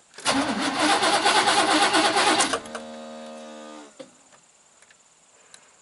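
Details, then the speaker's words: 1988 Chevy truck, 5.0 V8, 104,000 miles, died on the road. Two seconds of steady cranking with no firing, then spin-down whine. Spark tester at the coil shows no spark; crank no-start, no spark. "so at this point it's a crank no start no spark"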